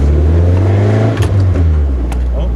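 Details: Stock Nissan 240SX (KA engine) cold, revved above about 3000-4000 rpm: revs drop back with sharp single exhaust pops; owner suspects the coolant temp sensor and is replacing it, unconfirmed.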